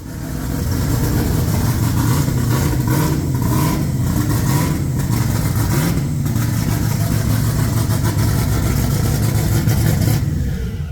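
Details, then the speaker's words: Just-completed twin-turbo build, not yet shaken down, revving: deep, steady note with no knocks, rattles or misses; sounds healthy. "Riley's twin turbo build is complete they still got to shake it down but man this thing sounds good"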